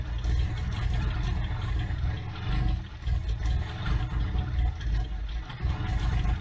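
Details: Abandoned Toyota AE86 with carburetor settings reset, the timing retarded and the PCV and brake booster hoses capped: a deep uneven note with surging, lumpy pulses and no settled idle. Running rough, still not healthy.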